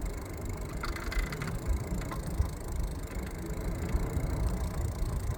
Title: My new Xpeak hub motor Rattling noise